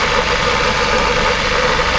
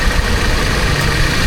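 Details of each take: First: Toyota Commuter van at idle with its AC compressor engaged: rough clattery knock riding over the idle, louder with revs and gone when the compressor cuts out; the compressor is failing and the owner wants it replaced. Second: Toyota Commuter van with aftermarket AC, new compressor fitted after the old one knocked loudly when engaged, high side about 170 psi, engine idling: compressor engaged, quiet, no knocking, slight engine shake from the aftermarket compressor.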